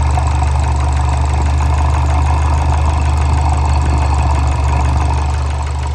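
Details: Fiat Bravo 2 1.4 T-Jet 150 HP, 215,000 km, after recent maintenance, recorded close to the engine: deep steady idle with a loose, uneven knock underneath, three or four a second; worn rod bearings, cause unknown, car scrapped.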